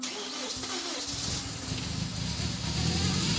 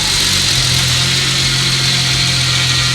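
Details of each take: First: BMW E36 with N54 twin-turbo engine swap, first start with throttle held: stumbling crank, then lumpy, uneven running; timing adjustment suspected. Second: Vintage BMW E36 with a swapped N54 twin-turbo engine just after its first start, jumpered and with loose wiring; steady, even idle with a smooth low hum, no misses or knocks, healthy.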